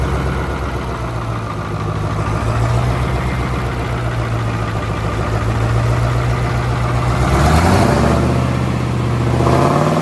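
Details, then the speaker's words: Allis-Chalmers AC 440 tractor diesel after the faulty fuel pump was swapped for the one from a 555. Steady, even idle, then a clean rev that picks up quickly and settles; no loping at idle. "Well, we figured out what was wrong with it, the fuel pump. So, we put the other AC440 fuel pump on it, the 555 that we pulled out, and it actually runs really good. It's not loping on R on idle,"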